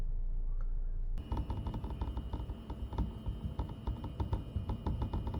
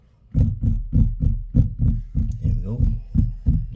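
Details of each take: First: Tesla Model Y/3 driving on uneven roads. Irregular light plastic clicks and rattles over road rumble seem to come from the front dashboard, but actually come from gapped clips on the front air intake cover panel under the hood. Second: Tesla Model Y/3 front air intake cover panel under the hood, after clear tape applied to dampen clips: hand taps give dull clean thuds, about three a second, with no buzz after; trim rattle gone.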